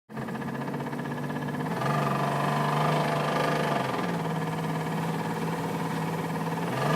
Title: Driftbuster Rod Knock